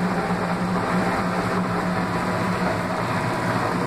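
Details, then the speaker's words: The Laundry Alternative mini automatic washer, spin cycle (owner thinks about 850 RPM intermediate spin); steady, even low hum at constant speed, no knocking or scraping; phone may make it sound louder than it is; normal quiet spin. "E como vocês podem ouvir, a máquina está silenciosa, talvez o meu telefone faça parecer mais ruidosa, mas ela é muito silenciosa. Só estando ao lado dela para entender como ela é silenciosa mesmo."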